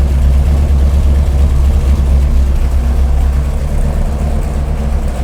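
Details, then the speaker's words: Big-block Chevy 489 V8 on the dyno: deep idle with an uneven, lumpy beat and a regular stumble as one cylinder is dead; plug wire suspected, and the plugs may be wrong for the aluminum heads. "got one cylinder that's not working."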